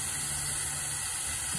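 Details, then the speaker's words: 2005 Ford 6.0 Powerstroke with a long crank/no start when hot: engine off, valve cover off, shop air fed into the high-pressure oil system. A steady high-pitched hiss and smoke escape at the back, possibly from the standpipe. "We're leaking from around the back area here. Focus, we got smoke coming through there. So it could be the standpipe."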